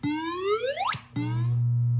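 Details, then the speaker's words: 1978 Williams Phoenix pinball, recapped sound board, solenoid test number 12, the 10,000 point sound: clean rising electronic sweep then a steady tone; playing correctly. "uh let's go to number 12 which is the 10,000 Point sound so now we at 12 see if we can make it do"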